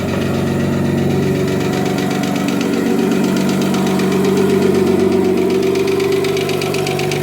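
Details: Audi 2.7T twin-turbo-powered Porsche Boxster with forged engine, cold start after months unused and a flat battery: steady cold idle with a light quick lifter tick about four per second on top.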